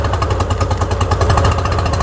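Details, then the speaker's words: Tohatsu outboard not running properly despite rebuilt carbs and fuel pump, cylinder drop test: fast two-stroke pulsing changes clearly when the middle plug boot is pulled, so the middle cylinder is firing while the top one is not. "the middle one yep the middle one is definitely working and the top one is definitely not working"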